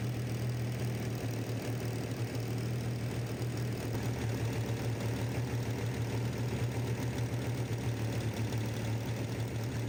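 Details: 1965 Corvair with newly installed engine, first start on break-in run: fast busy even clatter over steady idle, loud on one side; valvetrain noise, expected, engine moving some oil.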